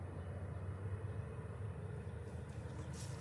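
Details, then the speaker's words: New 36,000 BTU TOSOT heat pump just kicking on after install. Soft, even low rumble with no knocks, rattles or squeals; it starts and runs quietly and normally. "All right, so it looked like it just kicked on. Real quiet."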